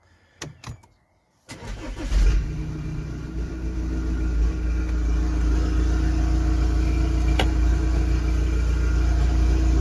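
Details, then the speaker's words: Audi A4 B8 Allroad 2.0 TDI 143 hp, Stage 1, just fitted with Darkside DPF delete and EGR delete and new exhaust line, cold start: brief crank catches quickly into steady diesel clatter with faint turbo whistle; normal cold start. "Voilà, donc pour vous faire écouter un petit call start de bon"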